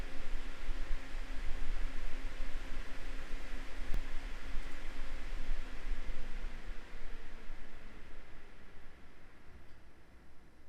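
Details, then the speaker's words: MSI RTX 3080 Suprim X 12GB graphics card under gaming load in silent mode, GPU reaching about 76°C: only a soft even airy hiss, no coil whine, buzz or rattle; normal fan noise under load. "şimdi canlı canlı fan sesini ve bobin sırasını dinleyelim"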